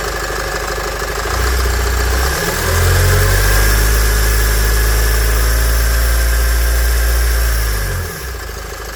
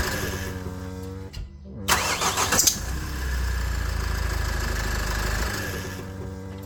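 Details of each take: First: Nissan X-Trail 2.0 dCi diesel after replacing the accessory belt, tensioner and idler pulley: cranks, catches and settles to a smooth idle. The previous squeal at start-up is gone, and the belt drive sounds healthy. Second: Nissan X-Trail 2.0 dCi diesel at startup: shrill wavering squeal over cranking, then settling to idle; accessory belt or tensioner suspected (water on belt affected it), fixed by replacing belt, tensioner and idler pulley.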